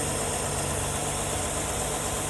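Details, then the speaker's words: 1974 Ford E100 SuperVan old V8, long parked, right after filing the distributor points: fires right off and idles on choke with an even, unbroken low hum, no misses or knocks, no throttle feathering needed. "It fired right off! Oh my goodness, and it's idling! The choke set, it's idling."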